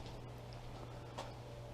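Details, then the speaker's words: Willys Jeep L-134 Go Devil four-cylinder, sitting 35+ years, starter fluid used: steady low hum with faint ticks but no cranking beat; starter engages but engine doesn't spin, starter problem of unknown cause. "starters engaging but nothing is spinning that's not good at all"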